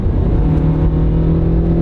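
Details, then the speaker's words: Honda CR-V with poor town fuel economy (12–14 mpg), floored from about 50 mph to pass: clean downshift, then a smoothly swelling engine note with steady pull and no slipping. Acceleration is normal, though it holds second gear too long in town. "not a race car but it accelerates good enough it downshifts okay you can see we're only going like 1,600 RPMs that's why it's getting normal gas mileage at highway speeds"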